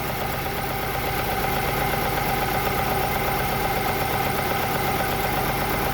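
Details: Chevrolet Lacetti/Cruze 1.8 shaking and pulling poorly, low input signal found: uneven stumbling idle about twice a second, one cylinder not firing because the ECU coil driver failed; misfire from failed ECU ignition driver.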